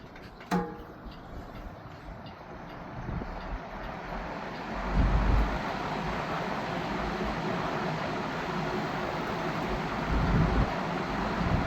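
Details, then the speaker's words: Vintage Lakewood Country Aire C-720-3 three-speed box fan, Westinghouse motor (said to do better once warmed up), switched to high: steady even air rush swelling with speed, no rattle, tick or scrape; normal running. "Well, this motor does better when it has time to warm up, but this fan is a beast. Alright, let's crank it up to high."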